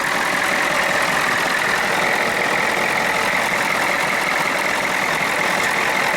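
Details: Ford F-250 with swapped 6.9 IDI diesel, after tach housing swap and injection pump removal/reinstall, charging about 13.5 volts; steady even idle with no misses, knocks or surging, diesel settles smoothly and sounds healthy.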